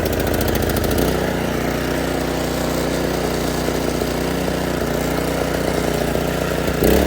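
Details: Predator 212 single-cylinder engine on a Toro 38585 snowblower, test run before removal after starting on one pull, choke on start, throttle at middle. Steady, even putter with no knocks or misses; runs healthy.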